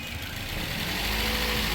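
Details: Toyota 2NZ-FE engine after timing cover work for a hum or whistle when revved: smooth even idle, picks up gently on light throttle, no whistle or hum; sounds healthy.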